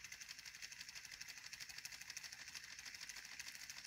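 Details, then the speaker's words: 3D-printed pulse motor with a new rotor on a Hall-sensor drive circuit: a thin high buzz pulsing about three times a second in an uneven beat. The circuit energizes the coil hard, so the rotor rotation is choppy and rocking. "this is a really nice circuit it's a little choppy because the hall circuit really energizes that coil gets it rocking"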